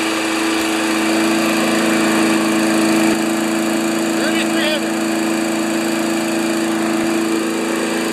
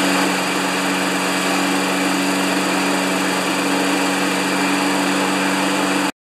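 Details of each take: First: 1992 Wedgefield Briggs & Stratton Classic walk-behind mower at full throttle, settable rpm lever set to about 3360 rpm maximum: steady, even high-speed drone with no hunting or surging; normal healthy full-speed run. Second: 1992 Wedgefield mower with Briggs & Stratton Classic engine: steady, flat drone below usual top-speed pitch, only about 3000 rpm, then cuts off; low governed speed after throttle cable was adjusted.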